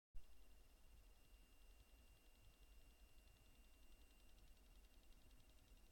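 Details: Cryorig H5 Universal CPU cooler fan: a steady thin hum with a faint, fast, regular ticking from the fan.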